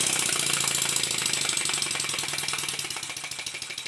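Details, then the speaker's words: Stuart 10H model steam engine, newly packed glands (Teflon yarn), resurfaced slide valve, valve timing just set, re-lubricated between runs: quick crisp hissy chuffing about four beats a second, slightly uneven; improving after high then low RPM running-in. "After running the engine at a high RPM, followed by a low RPM, I can hear that it's getting better."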